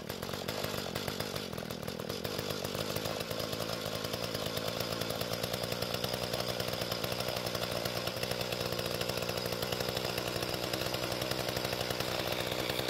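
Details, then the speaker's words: Mantis tiller two-stroke after carburetor adjustment, tilling dry hard dirt; high buzzing note holds steady while digging, no bogging or surging: normal running under load. "Now, once the tines broke through the hard bit on the surface, it didn't jump around as much, and it seems to work pretty well."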